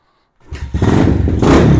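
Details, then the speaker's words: Venom Thunder 125cc dirt bike, Nibbi carb, cold after sitting about 1.5 months: from silence the single-cylinder catches at once and settles into a quick, even popping run with no misfire; fires right up, healthy cold start. "As you can hear, my bike fires right up, and it's been sitting for probably about 1.5 months, and it was cold when I fired it up."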